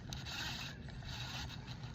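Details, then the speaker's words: Fishing reel: rough, gritty grind with a dull low rumble as the handle turns; it reels in but feels off, worse on some casts and better on others; cause unknown. "it's just a terrible noise it don't feel right it reels in it seems okay it's just something feels off"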